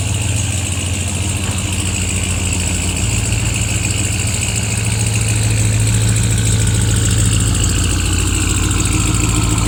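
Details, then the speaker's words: RAM TRX with a junkyard replacement engine (old one had two holes in the block), idling: loud steady drone with a constant airy exhaust hiss; owner suspects the wastegate is stuck open, seen breathing through it underneath, cause unconfirmed. "That's the wastegate's open. Look at it. You can see it breathing through the wastegate underneath."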